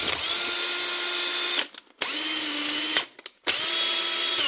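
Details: Makita DHP458 18V brushed drill after replacing worn brushes and a heat-burnt brush holder, likely from arcing, with the armature undamaged: three clean bursts of steady high whir spin up and wind down smoothly with no grinding, so it runs healthy.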